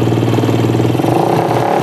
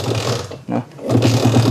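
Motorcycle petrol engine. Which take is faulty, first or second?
second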